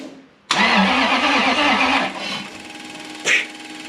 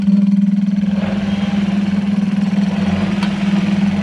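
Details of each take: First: Supercharged Toyota 1UZ-FE V8 swapped Hilux ute: starter churns about two seconds and spins down without firing; crank no start because the timing setting was changed wrong (should be 355) and fuel pump not running while cranking. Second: Supercharged Toyota 1UZ-FE V8 swapped into a Hilux ute, first start: steady smooth idle with about six bar of oil pressure, running without coolant (water added).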